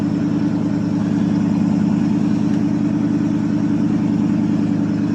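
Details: 1979 Chevrolet C10 Bonanza Big 10, 305 two-barrel V8 with glass pack exhaust, just cold-started after about a month sitting: steady, even low idle rumble with smooth regular pulse, no knocks or misses; healthy.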